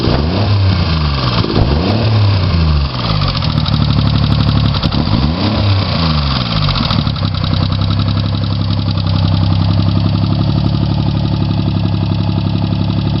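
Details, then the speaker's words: Chevy Sprint turbo 1.0 L three-cylinder after top-end rebuild, Saab 9-3 turbo, straight pipe with two cherry bombs, total cold start, low on fuel: few quick revs settle into steady, low, even idle, no knocks or misses. "it's a total cold start up I'm kind of low on gas but it's really fire up instantly no major problems"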